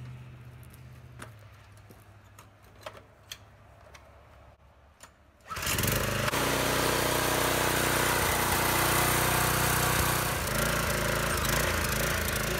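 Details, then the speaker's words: Briggs & Stratton 5 HP single on a Troy-Bilt sickle-bar mower, long unused, just after carburetor cleaning: fires and runs at a fast steady beat with occasional uneven dips, a slight sputter; owner hopes warming up and adjustment will clear it. "it has a little bit of a spotter uh we'll just let it run for a little while i'm sure uh letting it run for a good while getting a nice and hot might clear up a little bit of that"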